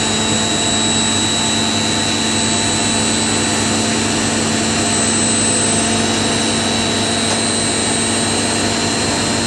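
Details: Indesit IWC71452 washing machine, 1400 rpm model, ramping up from 800 rpm in final spin: steady high-pitched whir with even hum, no knocks or thumps; spinning cleanly.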